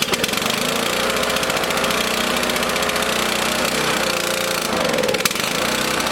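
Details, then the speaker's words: Lawn mower engine on fuel with extra K100 additive, started switch on, choke out: ragged uneven running with wavering speed, needs feathered choke, no easier to start than the others; rough running on choke. "not starting any easier than the other ones still got a feather choke"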